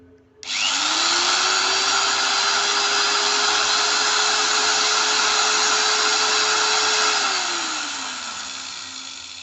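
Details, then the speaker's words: New Modern M-2300B 100mm angle grinder, 540 W, 220 V, second no-load run; quick spin-up to a steady high whine for about six seconds, smooth coast-down; sounds new and fit for work. "Itu ya tadi suaranya ya. Kalau menurut saya pribadi sih suaranya sudah oke lah. Jadi istilahnya menandakan bahwa ini produk emang masih baru dan bisa dipakai buat kerja sih."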